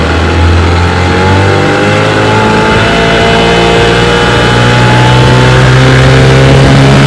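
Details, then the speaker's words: 1992 Evinrude 15 HP two-stroke outboard held wide open on the water for about 10 minutes, pushing a John boat about 18 mph, never jumping out of gear; strong even buzz, steady pitch, no misses; compression and spark checked good. "Runs great. I don't see a problem at all."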